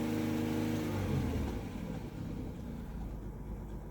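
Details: 2008 Chevrolet Equinox 3.4 L V6, almost warmed up, idling under load: uneven stumbling beat and idle surge, P0300 with only cylinder 4 misfiring; spark plug, wire or injector suspected.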